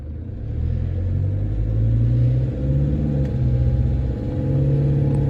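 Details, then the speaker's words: 47k 2014 Toyota Hilux diesel driving cold under load: low, even drone rising and settling, no loud knock, only a light-load rattle around 1500 rpm; owner judges it normal and quiet, questioning injector need. "that's pretty quiet really I'm not worried about"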